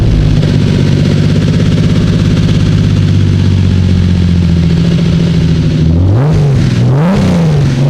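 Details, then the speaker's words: Turbo BMW E36 wagon rebuilt six-cylinder, restarted after a previous missing cylinder; steady even idle with no missing beat, then clean throttle blips rising and falling smoothly; compression restored, all six cylinders firing. "engine right yeah it sounds great it's good well I'm happy the engine now has compression sounds like it's running on off six now that's good"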